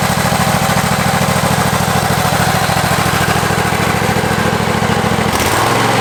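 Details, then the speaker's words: Husqvarna 54-inch deck zero-turn mower, long stored in a shed, first start on a new battery: steady, even low thump at fast idle, no misses or knocks; runs pretty good, normal running. "But it runs pretty good, and for right now, I'm gonna pull it back in."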